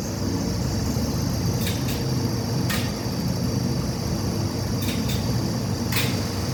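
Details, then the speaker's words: 1969 Schindler lift, recorded in the top-floor motor room during up and down runs; steady low motor hum with sharp switch clicks; lift motor running normally. "it's the sound of the motor that I'd like you to listen to it gives you a clue to what the device does on the end of the motor"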